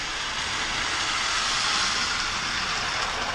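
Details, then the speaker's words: 1983 Williams Mighty Mite locomotive after replacement 10-tooth pinion fitted: smooth, even high-pitched whir with no clicks or grinding; motor and gears running healthy and much quieter. "but yeah just just beautiful W I cannot believe how good both of these run now"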